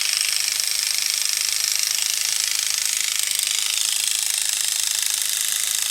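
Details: Waterpik-style water flosser/oral irrigator pump on the bench, motor fed 3 volts from a bench supply with frame fitted: fast, steady high-pitched buzz with an even rattle of about four beats a second; small pump motor and gears run normally.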